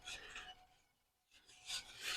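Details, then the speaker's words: E-Flite UMX model in AS3X mode with the motor briefly powered up; short raspy buzzing bursts come and go as the gyros twitch the control surfaces, which is normal gyro servo operation. "as3x should be shaking those gy Ros but it's not to get that to work we're going to have to turn the motor on and Power It Up very briefly now now you can hear those Gyros"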